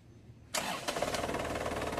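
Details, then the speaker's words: Isuzu Crosswind diesel after alternator, aircon and steering belt tension adjustment: engine catches after a brief crank and settles into an even clatter; belt squeal heard earlier is gone. "O di ba mga boss, wala na yung ingay niya. Kasi sa part 3, umingay yan."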